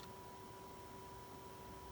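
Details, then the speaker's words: GMKtec K11 mini PC, Ryzen 9 8945HS, at idle, 35 °C, about 10 W from the wall: quiet hiss with two thin steady tones, one high and one lower, audible small-fan whine. "Moving on to the temps and fan noise now. At idle we sit at 35 degrees Celsius. It is fairly quiet, but you can hear it"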